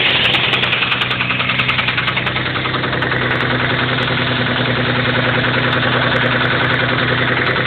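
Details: 1991 3000GT VR4 at idle with a sharp, even bottom-end knock about three times a second. It started suddenly, with no metal flakes in the oil and no oil pressure problems. Owner suspects a spun rod bearing or damaged rod journal, unconfirmed.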